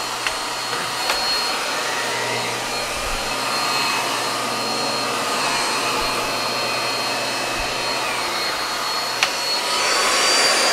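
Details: Miele U1 S7 (S7000) upright vacuum during service: steady, even high whoosh from the motor with no surging, rattles or grinding; running normally.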